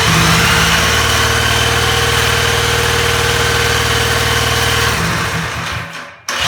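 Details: Small single kart engine slated for the rebuilt Dingo, fuel system initially dry, cranked with a starter box, with torque converter; catches and runs a steady fast putter, then cuts out; sounds healthy.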